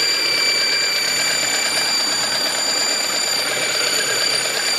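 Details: 2002 Mazda 626 running with a constant steady high-pitched squeal over the engine and little low rumble; source of the squeal unidentified.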